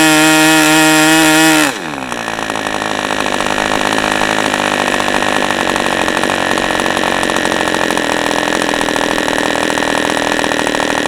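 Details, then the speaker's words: OS 40 FP glow engine, first run on a stand, 11x5 prop, OS #8 plug, 5% castor/synthetic fuel, after the air bleed screw was opened to lean the idle; high tone drops abruptly to a rough burbling idle with uneven firing; still slightly rich. "So we're still a little rich. So I was right, going the right direction."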